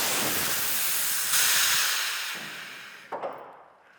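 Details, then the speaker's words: Air jack system on a BMW 320i DTM-replica build, valve opened to drop the car: a loud, steady rush of escaping air that tapers off. Normal air jack release. "And now, with the beauty of this thing is we can release it slowly or do it all at once."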